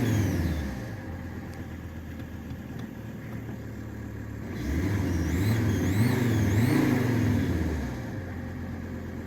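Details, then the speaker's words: Alfa Romeo 166 large diesel idling, then revved: a faint high chirping squeak rises and falls with engine speed, intermittent, from a broken exhaust manifold seal. "basically it has a broken exhaust manifold seal and so it squeaks like um bastard basically not all the time"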